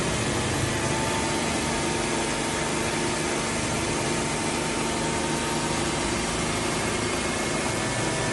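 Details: Old carburetted car after carburettor cleaning, butterfly-valve adjustment and refitting the air filter housing: steady, even idle with constant hiss, no stumbling. Idle was previously rough with heavy shaking and poor acceleration.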